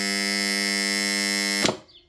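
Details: Old contactor coil energised at about 230–240 V mains: loud, harsh, steady buzz the whole time it's energised, cutting off dead when released; caused by rusty core pole faces, repaired successfully.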